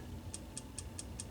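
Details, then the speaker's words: Original Wells Gardner K7400 25-inch arcade monitor chassis won't start: sharp regular ticking about five times a second at power-on, indicative of shorted horizontal output transistor (HOT). "And it's just ticking. Tick, tick, tick, tick, tick, tick, tick, tick. And that's absolutely indicative of a shorted HOT,"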